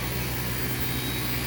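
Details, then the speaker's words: Samsung inverter AC outdoor compressor after circuit board repair, set to 16°C, drawing high amperage; steady low hum with a constant drone, no rattles or knocking, taking load well: healthy. "হ্যাঁ, কম্প্রেসারটা high অ্যাম্পিয়ারে যাচ্ছে, শোনা যাচ্ছে। হ্যাঁ, খুবই সুন্দর compressor চলতেছে, load খুব ভালো নিচ্ছে।"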